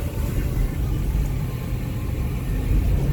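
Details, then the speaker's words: 2006 Ford E-250 service van over very rough road, cab interior, after welding cracked bin mounts and adding foil-backed 1.5in Styrofoam between cab and cargo area: low even rumble, no rattles, radio audible. "down the roughest of roads. Yeah, you can actually hear the radio even though it's down low, and you talk over everything."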